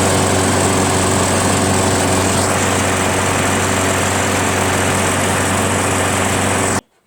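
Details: Craftsman 21-inch self-propelled mower with 6.5 HP Tecumseh engine, after a quick carb clean removing gum: starts and runs steady and even at constant speed until shut off, sounding healthy; normal running.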